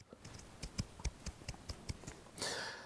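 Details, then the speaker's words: Ferrari 430 Scuderia with noisy suspension, original lower joint removed and rocked by hand: dry irregular clicks, about ten in two seconds; the chrome-plated mild steel joint corroded, expanded and wore loose. "what happens is stuff gets in there and you can see at the top here corrosion has appeared now when the corrosion appeared it effectively expands the metal and then it wears away"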